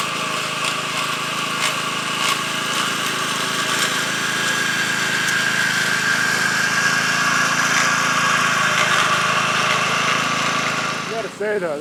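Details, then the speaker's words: McLane edger with a flathead engine, revived after dirty carb and dirty gas: steady even drone with a faint high whir, no surging or misfire, healthy running; the front spindle noise persists slightly. "is a nice healthy running rig it's very rare did I get one of these all flatheads said with"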